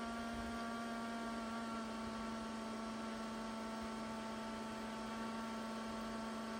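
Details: Non-working 2004 IBM ThinkPad T42 with a cracked screen, booting straight to PXE network boot with no OS on the hard drive. Steady loud hum near 220 Hz with higher whining tones, even throughout; abnormal boot noise, cause unknown.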